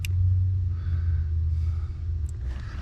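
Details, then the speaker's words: 2011 Subaru with battery drain, key off: a low, steady electric motor drone as the power seat motor, believed to be the forward-back motor, runs and heats up; suspected faulty relay or input, not confirmed. "i'm feeling heat at that motor which i believe is the forward and back motor we're going to take the power off it and see if it disables this noise we're hearing"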